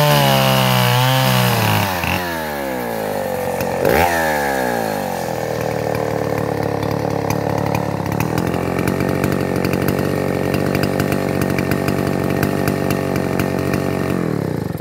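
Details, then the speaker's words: Neotec 8105 (Stihl 070 clone) chainsaw cutting hard maple, no carb adjustment made: bogs briefly as it bites in, then clears and screams to a steady high rev through the cut; normal running under load. "But did you hear it? It's running, wah, and then goes wah, and opens right up."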